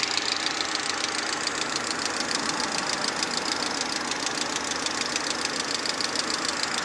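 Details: VAZ 2110 16-valve engine at idle: fast even metallic knock about three and a half per second; engine knock, exact source unknown.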